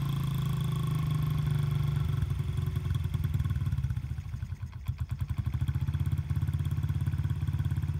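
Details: Honda CRF50/Z50 single-cylinder dirt bike with gunked-up carburetor and leaking petcock, cold engine: small thumps at idle with an uneven beat that sags midway then recovers; rough idle, possibly fuel-starved.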